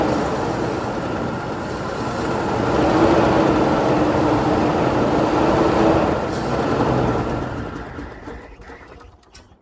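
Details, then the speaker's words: Ford EB Falcon farm car started with a new coil and bottle-fed fuel, no fuel pump; the engine fires and runs with a steady, fairly even beat for several seconds, blowing some smoke, then fades as it dies. "all right so there you go the old girl fired up she blew a bit of smoke but that's fine"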